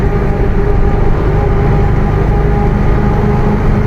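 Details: Mercedes-Benz OF 1721 BlueTec 5 bus chassis with Caio Apache Vip IV body, while driving: loud steady low roar and a faint constant tone under a smooth diesel drone; growling differential.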